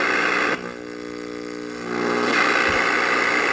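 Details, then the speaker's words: 1951 Northern Electric Baby Champ tube radio, ultra probe at the oscillator coil: even rushing hiss with faint steady tones, indicator lit, showing the oscillator section works though the speaker stays silent at full volume. "So that right there tells me that the oscillator is running. So I know that the oscillator section in this radio is working."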